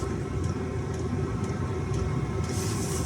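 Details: Four-year-old Chinese diesel heater that warmed up then shut down with pump stopping, owner suspecting the mainboard: low steady burner hum with light fuel-pump tick about twice a second, running normally at this point.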